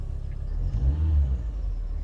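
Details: 2001 MINI Cooper R50 at about 87,000 miles on the cluster, after instrument cluster replacement: engine fires, holds a low steady idle, swells briefly with a light rev, then settles back smooth and even; sounds healthy.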